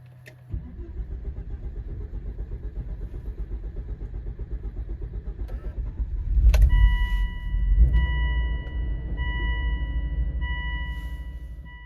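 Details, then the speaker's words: High-mileage Volvo XC70 P2 2.5T petrol, cold engine: about six seconds of steady starter churning before it catches, shakes, then settles into a rough idle with chimes sounding. Long crank and poor start that has worsened over time, with the check-engine light eventually on. "It started to start the engine worse and worse and worse. Meaning you crank crank crank and then it's like shaking and and then picks up and and yeah, then you drive it so to speak."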